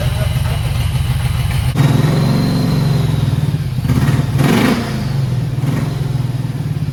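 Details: 1991 Mustang 5.0 LX with Vortech V1 supercharger and a high-mileage stock shortblock: a deep, even V8 idle with one brief rev blip, running smooth and clean after debris was cleared from the injectors.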